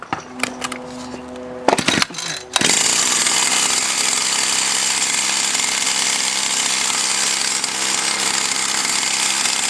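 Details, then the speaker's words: Stihl FS76 string trimmer with an older carburetor after high/low adjustment (high was lean, low rich): steady high buzz without surging or stumbling; runs clean, no repair needed. "so this is all fixed didn't have to do anything"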